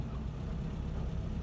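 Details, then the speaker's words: 1976 Land Rover Series 3 109 with 2.25 petrol engine, driving after a new exhaust was fitted: a steady low engine purr with no exhaust roar or blowing. Much quieter; normal running. "Definitely a lot quieter. I don't know if it picks it up on the video. Definitely an improvement, even though it is still noisy. Not quiet as the vehicles, no soundproofing on anything. But I can hear more of an engine purr rather than an exhaust roar."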